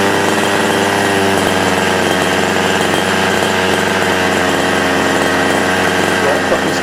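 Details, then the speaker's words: Losi 5ive RC car small two-stroke engine just started after choke off, cold: fires and settles to a steady even buzz, idle slightly high but clean with no misses; normal, idle may drop as it warms. "You could hear that the idle was a little bit high, which is okay. As the engine warms up, sometimes the idle will drop significantly, sometimes it won't."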